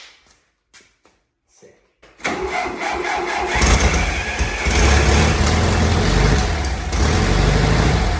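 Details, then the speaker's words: 1961 VW Beetle air-cooled engine, first start in seven years: catches and runs rough, uneven and lumpy on starting fluid; no fuel delivered, fuel pump not pulling from the tank. "okay so just heard it start for the first time um so there's an issue with the fuel pump um tank stuff fuel but it's not it's not pulling um that's something to kind of diagnose a little bit further on down the road"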